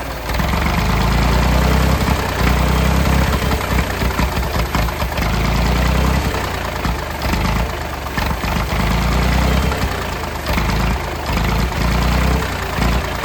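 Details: Late-1960s/early-1970s Massey Ferguson 2200 forklift, Perkins 3-cylinder gas engine, first run after 23 years: steady, fairly fast beat that never settles to a slow idle. The throttle won't idle down, and the choke is mostly closed to keep it from running wide open.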